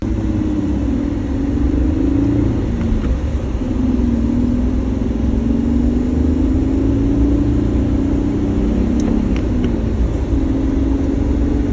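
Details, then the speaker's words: 2013 Jeep Wrangler JK 6-speed manual driving after fix: steady cabin drone and road rumble, no more shift knob rattle; rattle inside shifter likely cured with silicone before refitting new knob. "okay that's it so um as you can see that solved the problem no more rattle"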